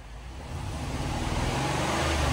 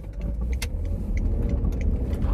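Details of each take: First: Cheap as-is supercharged L322 Range Rover V8 with slight supercharger noise and a small exhaust leak, idling after being revived. Steady, even low rumble with no knocks or misses, a little louder as it warms; idles smoothly and sounds healthy. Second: Range Rover L322 supercharged on a test drive, no check engine light yet: a deep drone with a lumpy, uneven pulse, as if running on maybe six of eight cylinders. Engine misfire; something is loose or missing, and clogged cats are suspected.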